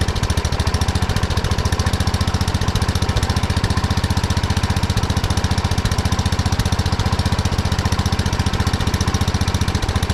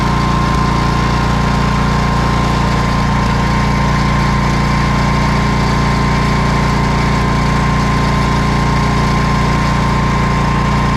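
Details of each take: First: 1979 Kohler K301 12 hp single-cylinder from a Wheel Horse mower, after carburetor cleaning and a new fuel line: runs fast with a hard, even beat, far too quick at idle because the carburetor idle adjustment went too far. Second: 1979 Kohler K301 12 hp single-cylinder engine from a Wheel Horse mower, after electrical and carburetor repair: even steady thump with no misses or surging, running smoothly; charging over 14 volts on a very dead battery.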